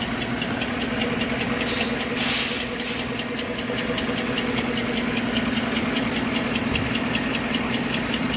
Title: Engine knock.